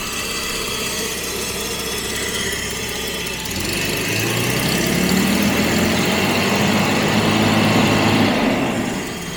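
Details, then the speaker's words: 1977 Jaguar XJ12 restarting after breakdown with a loud boom, timing reset but not yet correct, air filters off, spare richer ECU fitted: low even idle with steady deep beat and intake hiss, no weird sounds, running on all cylinders. "sounds all right I think we may have dodged the bullet there but the big question is why did it happen in the first place so I mean it's running on all cylinders"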